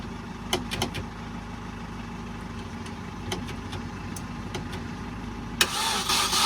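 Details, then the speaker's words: Supercharged Mini R53 first startup after engine reinstall: low uneven starter drone with light clicks, cranks but never catches; fuel suspected with tank at an eighth, fuel pump to be primed, battery charger to be removed for faster cranking. "Not looking great so far. Maybe charge the fuel pump a couple of times."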